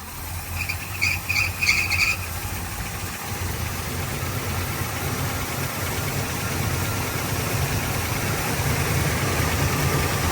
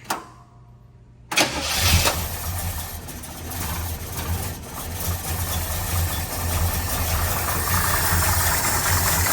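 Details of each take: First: Warm idle on a 1972 Chevrolet Nova V8 with a Holley carburetor after adjusting the choke, leaning the idle mixture and adding timing: a low, steady burble with a brief high chirp (chrome pulley/belts). The idle is now settled and even, with a slight fuel pump leak noted. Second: 1972 Chevrolet Nova V8, Holley carburetor at baseline idle settings with the choke adjusted: cranks, catches and settles into a loose, slightly uneven idle. It is running rich and needs the idle mixture leaned.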